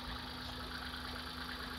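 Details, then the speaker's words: Hyundai Eon after ignition repair fixing earlier misfire and erratic vibration; smooth even idle with steady hum, less vibration and quieter, no stumbles, running cleanly on all cylinders. "so let's check the vibration alright so you'll notice there is less vibration and the engine and"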